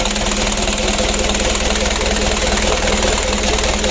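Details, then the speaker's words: Rebuilt 120 PS 4D34 diesel (Ragasa) after assembly and manually serviced injection pump: even clatter at steady idle, regular firing, no stumbling or extra knocks; injection pump still good, to be run in 4 days to a week. "Untuk injection pumpnya masih bagus. Kita panasi dulu. Itu suaranya besar karena ujung knalpotnya i"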